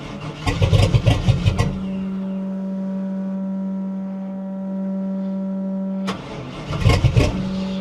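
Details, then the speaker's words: 1960 Chevy Biscayne: rough, uneven revving bursts over idle, missing on cylinders. They suspect a hydro-lock from fuel being compressed in a non-firing cylinder. "yeah it's it's not it's missing on it's something hard when it hit I think that was Hydro"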